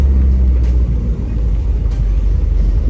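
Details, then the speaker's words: 1987 Porsche 924S on a short drive in the rain after wheel bearing replacement: steady low road rumble, no growl or hum rising with speed; the new wheel bearing runs quiet, no more bearing noise. "all righty let's listen no more wheel bearing noise zipper none"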